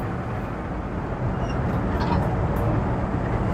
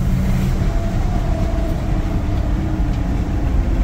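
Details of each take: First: V8 Red Express truck with Holley Sniper EFI, after IAC adjustment and a spacer, under throttle on a test drive: a smooth, steady pull with no intake whoosh or jet-engine noise, less bogging, healthy and responsive. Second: Holley Sniper EFI engine bogging under acceleration: heavy low roar with a thin rising whistle and loud air noise; owner suspects the EFI unit sits too close to the intake runners and plans to add a spacer.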